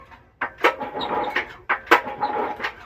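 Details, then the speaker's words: New, supposedly never-run engine (one of a Ryobi 212, Baja 196, Briggs & Stratton 950 S Series 208) makes a dry scrubbing rasp on each recoil pull instead of a clean whir; owner first suspected the pump. "This one makes a funny sound when you pull it, and we're not sure what the sound is."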